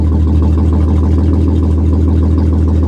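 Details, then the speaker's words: Audi A6 Avant Quattro at Copart, AC just switched off: loud, lumpy, blatty rough idle, very temperamental; suspected to need plugs, plug wires, maybe a coil and a badly needed catalytic converter, not confirmed. "okay she is very temperamental i would probably change the plugs plug wires maybe a coil and it needs a catalytic converter super bad"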